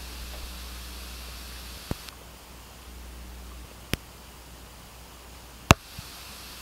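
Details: Pioneer class-D car amplifier, GM-D9601 1200 W mono on subwoofers, gains at normal: steady background hiss from speakers with sharp pops as the amp switches on and off; cause not identified.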